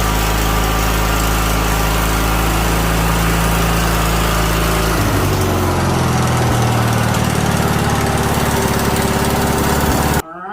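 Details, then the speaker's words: 2000 Craftsman LT1000 with a Briggs & Stratton 21HP L-head twin, after a carburetor and fuel pump rebuild: steady, even drone dropping to a lower speed midway, smooth with no misses, clean shutoff; the earlier fuel-pump leak is fixed. "running. Sounds good, and it's not leaking no more fuel."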